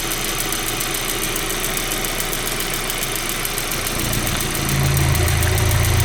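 Fast, even ticking around four per second over a steady idle, with revs rising near the end; a top-end tick, cause not pinned down. Cause suspected, not confirmed.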